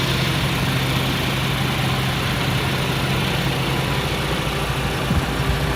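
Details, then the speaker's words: Honda Civic hatchback with a no-start, running on the stock ECU after its leaking capacitors were replaced: smooth, steady, low idle with no misses, hunting or knocks. Normal idle after repair. "and i'm happy to report that this uh hatchback now runs"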